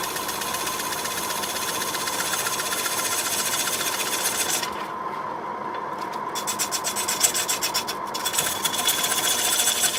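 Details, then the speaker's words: Green quilted sycamore bowl blank on a Record wood lathe: rasping scrape pulsing about four times a second, once per turn, as the gouge touches only the high spots of the out-of-round blank, becoming continuous once a smooth path is cut; intermittent tool contact. "you can hear run when it's only uneven surface it only touches once as it goes round well as you got those lumps so he got into the smooth path we got a continuous down"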